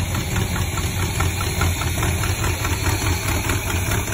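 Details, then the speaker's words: Chevy C10 with a small block 400, recorded before the rebuild as the motor was when acquired. Heavy, regular knocking about two per second through the idle; rod bearing knock, later fixed with new rod and main bearings. "I'm going to show you a video of the motor when we got it and show you how bad it was knocking."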